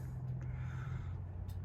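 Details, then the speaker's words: 1969 Ford Country Squire V8 idling during an inspection: deep steady low rumble with an even beat, no knocks or ticks; aged but in fairly good shape, runs and sounds good. "It's in good shape. Runs good, sounds"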